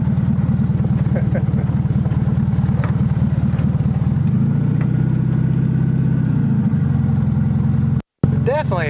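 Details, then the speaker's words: 1971 (or 1972) VW Super Beetle, air-cooled, first drive after sitting over 30 years. Shifting through the gears into second, a steady chattering buzz like a locust rides over the exhaust beat. Its source is unknown and concerning. "whatever that noise is is kind of concerning me though it sounds like a locust but i know that's not what it is try to take it out here shift through some gears second gear"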